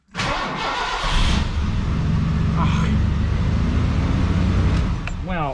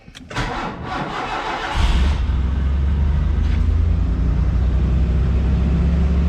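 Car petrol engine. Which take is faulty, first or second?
first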